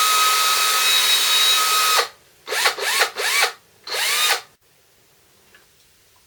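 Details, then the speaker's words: DeWalt 18V XRP cordless drill motor, after repair for smoke and burning smell: armature commutator cleaned with fine file, brushes refitted, before gearbox refitted. Short bursts spinning up and down cleanly, even whine, no sputter or grinding; normal. "That seems to be working. Okay. It's early days."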